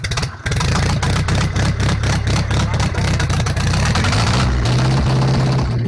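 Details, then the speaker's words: 1944 Ford 2N tractor, freshly reassembled, driven in reverse: low, steady four-cylinder chug with an even beat, briefly picking up under load, no misses, knocks or smoke; oil pressure about 45–50 while running; normal running. "well that worked out really well so apparently transmission at least in Reverse Works ran pretty good"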